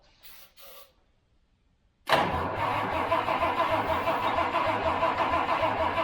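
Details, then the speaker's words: Project Toyota FJ40 Land Cruiser engine on starting fluid; the spring-loaded choke won't stay closed and a power wire may not be staying on. It catches and runs unevenly for a few seconds, a stumbling fire. Owner suspects a fuel supply problem. "that was a good sign all right I'm assuming we're having fuel issues"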